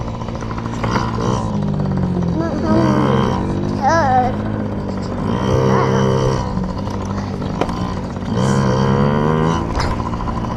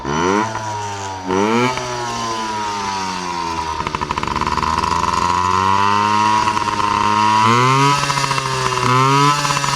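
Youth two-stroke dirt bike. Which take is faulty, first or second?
second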